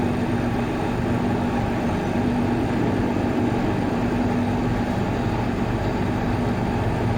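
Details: Water cooler fan motor, checked for a bad bearing, gives a steady, even whir with a constant low hum and no rubbing, grinding or wobble; running normally.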